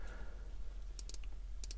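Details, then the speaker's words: Aquatico Dolphin 39mm NH35 dive watch: stiff bezel turned, few faint uneven non-positive clicks over a low room hum; bezel has back play. "so this thing it's not the easiest to turn it's loosened up over the past couple days and keep playing with it but it doesn't really have very positive clicks god it's tough"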